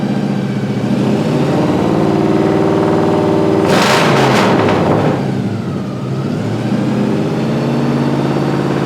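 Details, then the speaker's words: 1955 Chevy Napco clone, rebuilt automatic transmission (likely Turbo 350, parts from multiple units, fluid topped up): revs climb and hang in one steady drone with no rpm drop; it doesn't seem to shift through gears, not upshifting. "It really doesn't seem like it's shifting through gears. That's not good."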